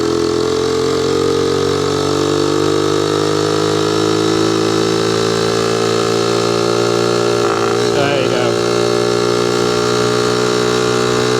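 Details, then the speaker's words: Honda moped/motorcycle at full throttle: steady high-revving buzz that stumbles for a split second then picks up; intermittent bog; rider suspects a vacuum leak, doubts fuel supply, unconfirmed; clutch may also be sticking. "so yeah I don't know if you could hear it then but basically the engine just randomly kind of bogs for like a very very Split Second I think it could be a vacuum leak"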